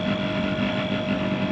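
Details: About 13-year-old AC unit with a newly replaced rotary compressor on R22 gas, pressure set around 45 to 60: steady, even hum with a constant tone and no knock or rattle. The compressor is running smoothly.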